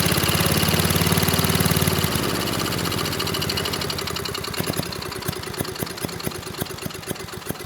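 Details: 1993 Little Wonder push leaf blower, 5 hp Briggs & Stratton flathead (model 135212), found trashed with little compression: engine fires briefly then runs down in slow, uneven pops, never picking up; bottom end sounds good, compression blowing out intake, intake valve suspected.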